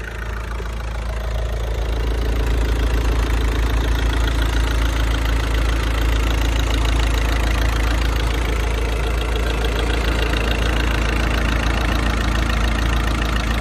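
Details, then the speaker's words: 16-year-old VW Passat 2.0 diesel with 320,000 km, at idle: even clatter about three and a half beats a second, no misses or knocks; runs well, no dual-mass flywheel noise, flywheel probably replaced by this mileage. Normal diesel idle. "Da, motorul merge chiar bine. Nu avem zgomot de volant, deci probabil a fost schimbat până la kilometri ăștia."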